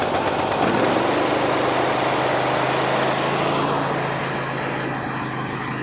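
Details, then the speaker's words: Briggs & Stratton 24 hp twin on a Husqvarna, low power under load, old gas and dirty oil, non-factory wire on governor linkage removed, after a repair to one cylinder: fast idle with irregular sharp pops and cracks; backfiring suggests intake valve not sealing on the other cylinder. "we're going to have a problem on this other side too there backfiring popping"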